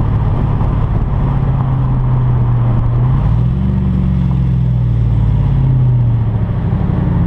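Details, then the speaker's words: Hemi Ram truck with an unfinished straight-pipe exhaust, recorded on a drive. Deep, loud, steady V8 burble with low throbbing that rises and falls with throttle. This is the open straight-pipe exhaust note. "I'm doing the exhaust on my truck it's not done yet but uh I'll take a little drive with you guys so you can hear it let me know what you guys think about it"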